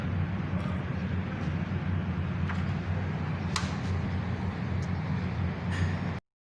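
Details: Mercedes-Benz SLK after fixing code P0302 misfire by replacing old worn-out spark plugs, all six coils tested good: smooth, steady low idle with an even beat and no stumble or skip.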